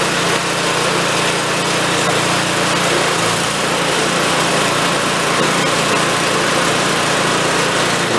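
Bright, steady buzz at constant speed with no surging, misses or rattles; the small engine runs smoothly and properly.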